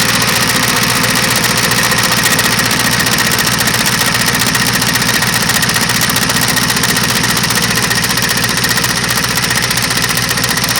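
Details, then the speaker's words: Yard wrecker truck running with a loud, steady knock at roughly three to four beats a second, newly louder than before. Something possibly coming loose, source not pinned down; cause unconfirmed. "Sure sounds like something's trying to fall off or something. Because that louder knock that you hear, that's new. It doesn't sound good."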